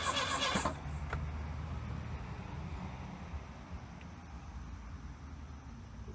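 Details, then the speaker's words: 1982 Plymouth Reliant, low mileage, dormant 29 years, after brake cleaner sprayed in: starter turns over about four beats a second with no firing. Crank-no-start; no spark found, ignition parts needed. "for the interior light doesn't seem to work but I don't think we have any fire I think we got none sparking"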